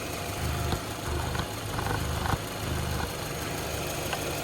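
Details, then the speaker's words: 2006 Volkswagen Golf Plus 1.6 MPI petrol, 75 kW/102 hp, 189,000 km, timing belt replaced at 98,000 km: smooth, even quiet idle with steady low hum, no misfire or ticking, no smoke; engine healthy. "Мотор працює тихо рівно це ваш улюблене 1.6 bsє 75 кВт 102 коне"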